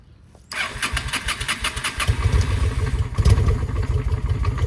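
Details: 2007 Honda Shadow V-twin that knocked, seized while oil was checked running, then got a new clutch and oil drained: starts and idles with rough, uneven clatter over lumpy low beat; still sounds bad, cause unknown.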